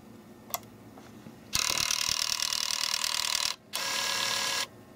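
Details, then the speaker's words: Nintendo Wii disc drive that kept ejecting discs, case off and powered on: two harsh, high-pitched grinding bursts from the small loading gear mechanism, disc not spinning or pulling fully in; drive later replaced. "so that noise is definitely coming from over here the little gear mechanism there"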